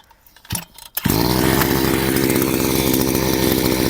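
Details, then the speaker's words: Chinese brushcutter two-stroke at full throttle after carburetor adjustment done with the air filter fitted: a click, then a steady high-revving buzz that holds evenly without hunting, running slightly as if under load. Normal, properly tuned. "This is how the brushcutter should work. It should go a little under load, a little as if cutting off."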